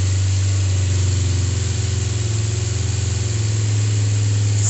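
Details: Kawasaki GPZ 500S 498cc carbureted parallel twin, freshly serviced and rebuilt, warming up: even steady low thrum, smooth exhaust pulse, no misses or knocks; normal warm-up idle.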